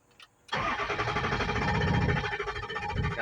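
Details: 2003 Ford F250 6.0 diesel cranks steadily with a dull, muffled note about three beats a second but never fires; IPR 85% on crank, FICM good, ICP uncertain, owner suspects ICP/IPR issues.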